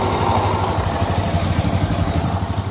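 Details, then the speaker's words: Suzuki Access 125 BS4 scooter, January 2019 model, about 3 years old, idling: soft even putter with steady low pulse, no tapping or rattles; strong power, no engine problem or noise, normal idle. "गाड़ी में power तो बहुत है engine में कोई problem नहीं है आवाज भी कोई नहीं है"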